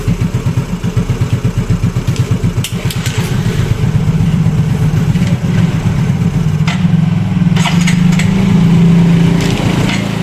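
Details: Yamaha Mio Fino 125 fuel-injected scooter that won't hold idle, before repair: slow, lumpy single-cylinder idle that hunts and struggles to keep running; idle too low and stalls, suspected faulty idle speed control (ISC) valve.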